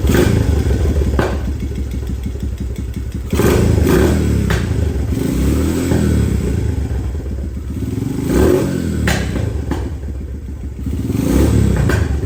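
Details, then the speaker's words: Thrashed 2017 Honda TRX250X single-cylinder ATV, started in neutral with choke on and two pumps of gas: chugs unevenly, dipping and surging, won't settle to idle or stay running without throttle; vacuum leak at carburetor. "all right so although it does start it does not stay running that's with the carb choke fully engaged and with the choke off I have to continue to give it gas"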